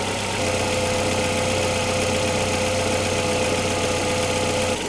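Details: Opel Antara four-cylinder at cold start, idling before an RVS additive test: even low hum with a faint light tick over it; cause can't be pinned down by ear, suspected not confirmed.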